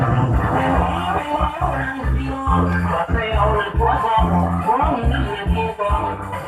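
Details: Amplifier that a customer says is weak on one side; its output transistors had been replaced with large bipolars. Music comes out dull, muffled and hoarse with the top end missing. The output is distorting.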